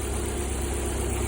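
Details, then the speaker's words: Lada Priora four-cylinder idling on three cylinders: injector feed wiring touching ground, one cylinder cut out with no or weak injector pulse; low, uneven, lumpy idle before the wires are spliced together directly; rough idle from dead cylinder. "Мына жерде массаға тиіп, бір цилиндрді айырып тұрған. Бізде 3 цилиндрмен жүр, ол үшін біз қазір бір-біріне жалғап жібереміз, бір-біріне жалғағасын. Көлік дәл осындай іркілдеп тұр ғой көлікте."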